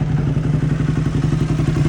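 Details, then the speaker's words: Motorcycle with almost 28k hard miles: quick steady ticking over the low exhaust thump, getting louder by the day; engine ticking, cause unknown. "So, I have a question for YouTube. My bike started making this weird noise. It's like a ticking almost."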